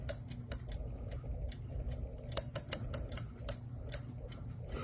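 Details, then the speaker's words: Clock, after bending the strike spring back for tension and reassembling: crisp irregular winding ratchet clicks over quiet background; strike spring catches and holds its wind. "It's kind of scary. Well, it's holding a wind."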